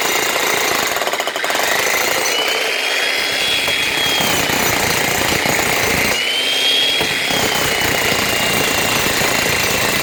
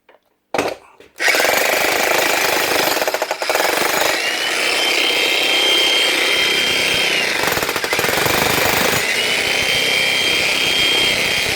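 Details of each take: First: Logan Tools (Titan-type) electric breaker after repair, relubricated with liquid grease following dropout from dry inside and worn O-rings: fast, even, continuous hammering with no stalls or dropouts; normal hammering action. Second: Logan Tools breaker hammer, a cheap unit: the motor runs steadily, but the rapid hammering cuts out for a second or two and then resumes; intermittent hammer action because there is no oil inside and the O-rings are worn.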